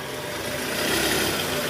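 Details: 2010 Toyota Camry 2AZ-FE, cold start, heard from the side at oil pan area: coarse gritty rattle low in engine over idle, diminishing as it warms; worn loose balancer shaft, found with stethoscope and confirmed when removed.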